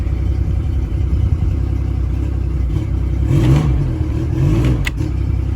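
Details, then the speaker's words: Mercury Optimax 115 hp outboard, running on water after a stuck injector was found: steady low drone, brief rev rise then settling, running well; owner notes a slight stumble at low idle and suspects a coil. "oh this thing's fixed I got the water to it awesome all right guys it runs it runs actually really well"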